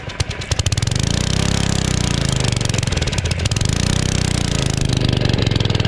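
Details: Generac 01292-2 pressure washer small engine, after carb cleaning: a rapid, rough low chug that surges and sags and sounds starved; it is not making full power and dies, cause unconfirmed.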